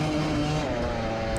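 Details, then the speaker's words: Off-road dirt bike racing at Gopher Dunes, clutch out of adjustment: engine held at high steady revs flaring with no pull from the bike; clutch slipping. "Let's just hear it just over rev. It's just broken."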